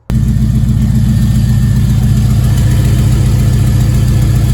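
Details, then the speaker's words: Avalanche exhaust after welding repairs, with the previously missing O2 sensor reinstalled. At steady low idle a soft, uneven puffing rides on the exhaust note; the front weld holds, but a good leak remains at the top weld. "sounds better front weld I did doesn't leak uh the background right on the top there's still a pretty good leak"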